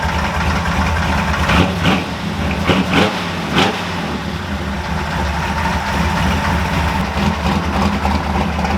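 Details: Ford F100 new engine, cold start before warm-up: loose, uneven hollow knock over the exhaust rumble, typical piston slap when cold; loud fuel pump also present; otherwise runs fine.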